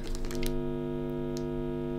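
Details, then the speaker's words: Generic wall-wart power adapter near guitar effects pedal wiring and tip: constant buzzy hum with stacked steady tones entering the signal chain from the adapter and its wires; power supply hum. "all right you can hear how noisy that is so a lot of noise coming from the wall and from the wires as well"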